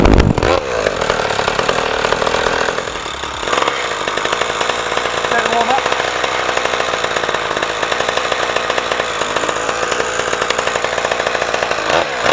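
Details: Rebuilt 49cc racing mini moto, pull-start two-stroke: buzzes up to high revs and holds a steady raspy note without stumbling; running cleanly.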